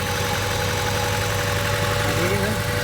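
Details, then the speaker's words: Honda Civic idling with one fuel injector unplugged: uneven, loping idle with a stumbling beat about four times a second; rough idle from a disabled injector. "if it's running rep like that chances are check your fuel injectors check your cabling okay check your wires okay"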